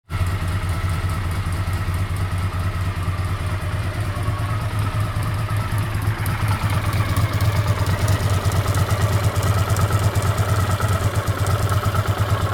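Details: Honda CX500 twin, also dripping coolant from a coolant pipe joint: lumpy idle with a light, fast clicking from the left cylinder head that grows sharper. Owner suspects an exhaust gasket or, at worst, a worn cam chain.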